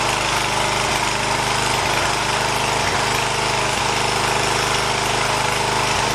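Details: 1980 John Deere 212 lawn tractor's single-cylinder engine, after replacing the leaking crank seal, on a cold day: a loud, constant chug at steady speed with no misses, knocks or hunting, running normally with no leak seen.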